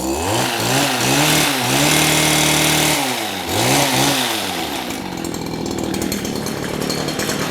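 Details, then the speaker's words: Stihl hedge trimmer, possibly an HL94K, two-stroke, that had no power and sounded like it was running in a vacuum. After clearing the exhaust restriction and warming up, it snaps cleanly from idle to a high scream and drops back smoothly. Fixed, normal revving. "I would call that fixed."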